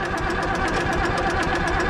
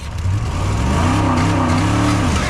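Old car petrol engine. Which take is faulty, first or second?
second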